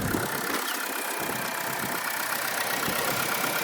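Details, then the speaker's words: Copart-auction 2004 Infiniti G35 RWD at idle, engine shaking badly, oil present but old; uneven idle with irregular thumps and wavering beat. Rough idle, likely a misfire, suspected spark plug or coil pack; possible ticking on revving. "Okay, as you can see, guys, the engine is shaking. It's shaking bad, so you have to keep that in mind."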